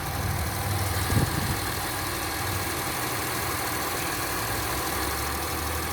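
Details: 2003 Acura MDX idling after the power steering reservoir O-ring was replaced to cure a leak and air bubbles: even, quiet idle with a soft steady hum, no pump whine or groan; steering smooth, sounds healthy.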